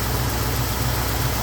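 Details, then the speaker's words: Warm engine idling smoothly with an even low hum, quieter than when cold; the lifter-like tick heard when cold is gone once hot and circulating, with the temperature gauge not overly warm. "okay yeah it's uh hot and it sounds better than when it's cold"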